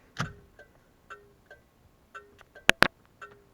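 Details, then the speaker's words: Car cabin with the key in run position while testing turn-signal wiring for a digital dash install: crisp paired clicks about once a second from the left turn signal; the flasher is cycling normally. "and then you can test this by turning the key to the run position and then hit your left turn signal so that is working"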